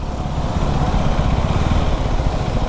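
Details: KTM Duke 390 motorcycle at idle: loud, rough, chattering idle with a heavy low thump and no clean rhythm; abnormal engine noise, cause unclear.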